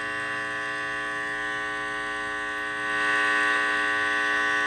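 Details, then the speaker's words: Heathkit IT-12 at power-up after earlier short, possible short remaining: steady buzzing hum with stacked tones under hiss as gain is turned up high to hear a faint radio station. "I can hear that faint radio station in the background right there, but there's a lot of other noise cuz I'm having to bring the the gain up so much on here to hear that."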